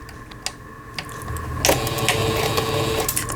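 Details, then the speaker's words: Singer Stylist 7258 sewing machine, 110 V-only, after repair of board blown on 220 V, with timing and needle bar readjusted; test stitching: quick, even ticking about two to three stitches per second, smooth motor hum. Stitching normally. "바느질이 잘 되면 조립을 하는 거고, 바느질이 제대로 형성되지 않으면은 기계를 다시 수리를 또 들어가야 됩니다. 지금 타이밍 맞추고 바늘대까지 조정해서 잘 될 거로 보여져요."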